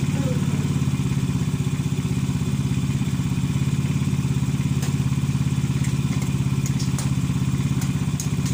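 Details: Motorcycle engine that starts hard because a sunken valve leaks compression: slow, slightly uneven thumping idle around 200 beats a minute that struggles to stay smooth.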